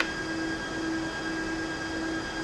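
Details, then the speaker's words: HP 5900AF-48XG switch with the fan airflow set to power-to-port instead of the preferred port-to-power, triggering FAN_DIRECTION_NOT_PREFERRED on slot 1 and risking overheating: a constant high-pitched fan whine, fans running at full speed. "and that will fix the issue you know of the message because the problem if you don't change that the switch will overheat"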